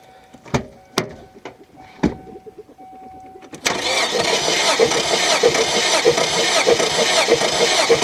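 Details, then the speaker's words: 2001 Kia Sportage, 100,000 miles, timing chain broke, compression test cranking with plugs out: a few clicks, then steady fast even cranking beats; this cylinder reads about 175 psi, identical to the first. "same thing - 75 yeah seeing this it's identical"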